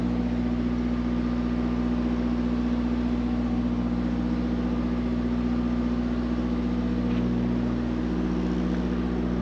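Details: Mack MP8 / Volvo D13 truck diesel after a Volvo specialist sorted the injectors to cure its long-crank hard start: steady even idle, smooth low drone, no misfires, knocks or stumbles; running healthy.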